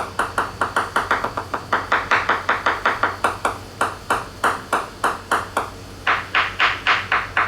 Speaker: so you can hear the uh reverberation in that